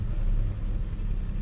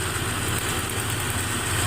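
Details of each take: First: Nissan Xterra 3.3 after replacing the bad injector that caused the P0306 cylinder 6 dead miss: low, steady, even rumble at idle with no miss or stumble. Misfire fixed; engine idling smoothly. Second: Nissan 3.3 with code P0306, check engine light on, plug wire on cylinder 6 off to check spark (good spark): rough, slightly lumpy idle with an uneven beat, worsening as it warms up. Cylinder 6 misfire, later traced to a bad injector.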